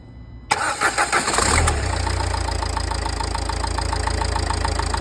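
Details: Nissan Qashqai 1.5 dCi: catches after a brief crank and settles into a steady idle with a regular clatter. It sounds off; owner wonders whether it is the injectors or the turbo. Cause unclear.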